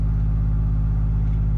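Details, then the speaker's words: Apartment dryer's booster exhaust fan, pressure-activated, behind the unit with a lint-full secondary trap: heavy low hum with a fast steady throb; vibrating, not too bad, probably lint on it, not confirmed. "There's also a fan back here. We want to make sure that that's going to kick on. The fan is on pressure. Vibrating."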